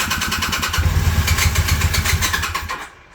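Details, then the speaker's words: 1981 Honda CM400 first start after sitting since 2000, dry carbs, starting fluid used; uneven lumpy putter that catches then fades, sounds like only one cylinder firing (suspected); misfire on start. "Come on, girl. Sounds like one's hitting."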